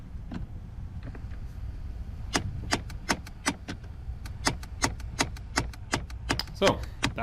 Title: Nissan / Infiniti clicking noise - AC actuator (important updates in description)